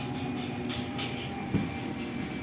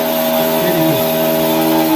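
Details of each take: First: Lavamac washing machine that gave a loud spin noise (drum bearing suspected), belt reattached to main drum, 220 V supply: steady, even spin with smooth low hum, no knocking or rumble; normal spin at normal speed. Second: Lavamac washing machine motor run unloaded with the belt removed: steady droning hum with fixed tones from a worn motor bearing, not the drum bearing.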